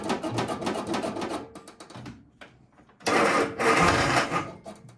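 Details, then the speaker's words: 1971 MG Midget being readied for the road: short uneven cranking bursts with pauses, starter turns it over but the engine never catches; owner suspects a run-down battery, not confirmed, and charges it before retrying; crank, no start. "So when it's flashing green or solid green, I'll try to start it up again because I think it's cranking fine. It's the battery's running out."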